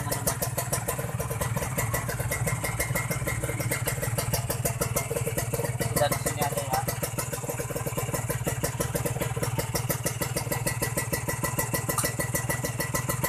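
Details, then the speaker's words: Kawasaki Ninja 150 R two-stroke after carburettor air-screw adjustment, repeated throttle blips: crisp, even buzz picking up cleanly with no stumble or hesitation; healthy revving. "Insya Allah ini ditanjakan atau ditarik nggak berebut guys. Kita coba tarik gas lagi teman-teman, supaya kalian lebih"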